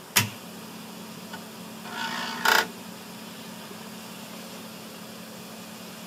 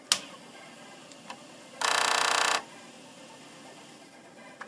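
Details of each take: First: Commodore 1541 disk drive bought as faulty, reads disks: faint steady motor hum that never cuts out; spindle motor runs continuously, traced to a shorted motor-control capacitor (CR10 position shorted). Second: Commodore 1541 disk drive whose motor never stopped, after replacing capacitor C22. At power-on the drive motor whirs and ticks briefly for under a second, then stops as it should; the hybrid IC was not the culprit.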